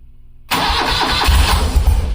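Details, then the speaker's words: BMW R90 airhead twin just after swapping the stock coils for a dual-post Enduralast 3-ohm coil with a new ignition wire (electronic ignition), choke on, in neutral. It catches at once and idles evenly on both cylinders: a normal start. "oh I would say it's starting and it's running and it seems to be firing on both cylinders"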